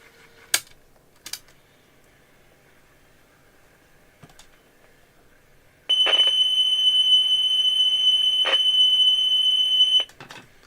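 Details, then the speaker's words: GE 3-5477A personal radio cassette player after capacitor replacement and new belts, playing a test tone that should be 3.15 kHz: steady tone around three kilohertz for about four seconds sounds off pitch; tape speed suspected wrong, not confirmed. "That sounds like too Is that the right tone? I mean, we should be on 3.15 kilohertz."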